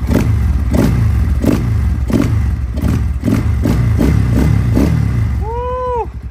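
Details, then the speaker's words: XPro Templar X 250cc dirt bike, cold, idling after a 30mm Nibbi carburetor install and throttle cable and idle RPM adjustment; loud, even thumping idle with steady beats and no stumbling, healthy, though previously hard to idle cold. "so dude she's on there she's running it's idling from a cold maybe it is as good as everybody says cuz literally this bike was a pain in the butt to get idling when it was cold here it is idling beautifully"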